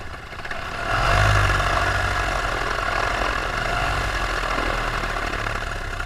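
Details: Paramotor engine with under an hour of flying time, in flight on a full tank: a strong buzzing drone climbs to full throttle and holds even revs without surging or bogging, over wind rush. This is healthy running before the later power loss and failure.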